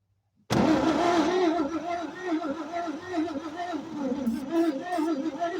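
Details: 1946 Chevy 3/4-ton, not started in over a decade, parked since the early 70s, first start after a spark check: it catches abruptly and settles into a slightly lumpy but steady run, and seems to have built compression.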